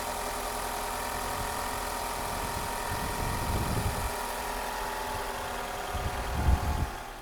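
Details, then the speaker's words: Van left unstarted about three weeks, battery flat, after help at a gas station: steady low engine hum, even idle with no knocks or misses, running smoothly again after 35-40 minutes; normal idle. "Ayan guys, naayos na rin siya. naka 35-40 minutes na tayo."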